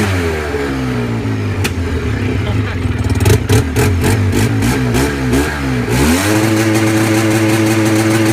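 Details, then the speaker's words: Engine after a brief warm-up: loud, raspy revs, then pops and cracks in the exhaust each time the revs drop. Cause unknown. Exhaust backfire on deceleration. "Backfiring. Hear the backfire when it's coming down again, so."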